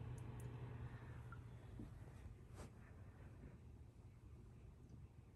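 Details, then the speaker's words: Sicce Syncra Silent 0.5 return pump replacing the cracked, noisy original on a Waterbox 15-gallon aquarium; very quiet smooth low hum, no rattle or buzzing; normal pump operation. "so since i made that video i've moved this tank up to my office as you can hear it's much quieter than it used to be"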